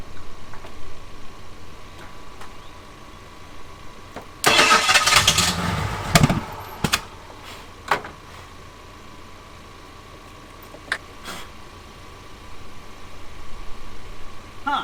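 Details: Abandoned Ford Thunderbird pulled from near Amarillo: brief rough cranking burst on starting fluid that almost catches and then dies to silence; owner suspects no fuel getting to the engine.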